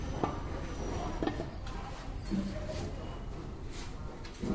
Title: Control arm bushing creaking noise. #autp #loyalparts #carparts